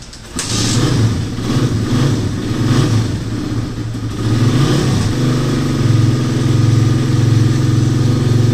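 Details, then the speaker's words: Motorcycle with noisy engine after new timing chain, chain guide, shim and reset tensioner: revs blip up and drop back cleanly, firing evenly with no ticking or chain slap from the top end; normal running. "so pagkatapos magpalit ng timing chain with guide magr shim magreset ng tensioner umok na ung motor ni boss no"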